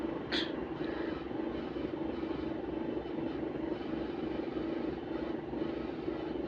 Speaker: And the electrics are they always make these weird noises whenever the engine's off. Makes no sense to you. What even is that? Is that the batteries acting up or something?